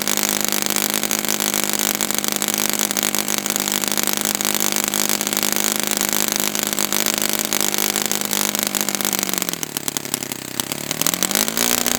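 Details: Brand-new customer Saito FA-100T twin glow engine on test stand, break-in run: steady buzzy high-pitched drone, dips once and recovers; running rich with oil dripping from exhaust, not lean. Rich break-in run.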